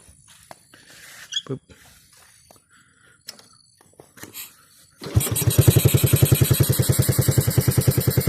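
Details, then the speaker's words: Honda Wave 110i after engine rebuild (worn shift forks, 4th gear replaced, piston work for 2nd-gear noise) starts easily and idles evenly, though it stalls or stumbles when revved, traced to the injector. "นะผมสตาร์ทติดง่ายเดินเบาได้นะครับผม"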